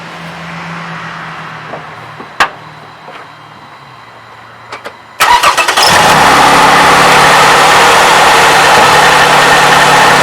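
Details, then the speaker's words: 2007 Toyota 3.5L with 170,000 miles, cold start after adding graphene, camera close to the engine. Light metallic clacking under the fast cold idle, attributed to the valve timing advance (cam phaser) and fading once throttle is given. VVT actuator cold-start rattle. "yeah a little bit of clacking noise coming right from here it's not built noise but you can hear it hopefully you can hear it"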